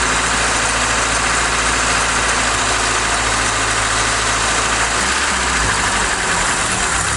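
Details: Ford Cortina Mk3 Estate after carburettor refit with new vacuum pipe and joiner, gasket suspect: loud, ragged idle wavering and sagging around five seconds, smoky, still not right; rough running, cause not yet found.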